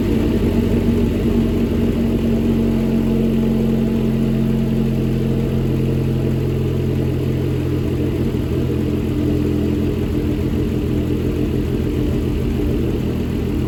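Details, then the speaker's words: 2008 Dodge Caliber SRT4, abused project car, first start: uneven idle with a light fast ticking over the engine note, no deep knock. Owner hears no rod knock and suspects the ticking up top is the injectors. "So It's not running the smoothest, but I don't hear a rod knock. I mean, the loud ticking up here is most likely just the injectors."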